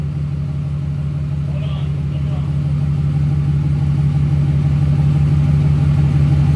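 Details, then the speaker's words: New fully built SoCal Diesel twin-turbo 1,000hp Duramax, after harness re-pinned per SoCal's instructions: deep even idle, steady low beat, no stumble or miss; not doing what it did previous night; normal idle. "oh yeah it was not doing that last night finally [ __ ] is living oh yeah okay that was finally breathing some freaking fresh air"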